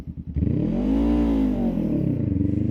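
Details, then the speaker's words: Honda Rebel 500 motorcycle, deliberately bad launch with clutch slipping: engine screams to a high pitch, holds, then falls away; over-revved clutch launch that sounds harsh and wears the clutch, versus smooth acceleration. "All right. See how it sounds horrible? It's annoying to the ears. It just it feels painful. It feels horrible."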